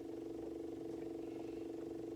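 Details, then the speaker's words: John Deere 1025R tractor just after changing the primary fuel filter, fuel system filling: faint, steady buzzing hum with quick, even pulsing; the fuel pump is running normally. "there you go filled up nice there you can still hear the pump going a little bit"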